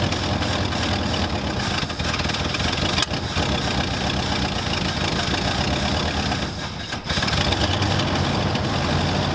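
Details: 1974 Ford Galaxie 500 that sat two decades, after a new rotor restored spark: churns and catches only in brief ragged spells, sagging, never idling; fuel starvation, running only off the accelerator pump squirts.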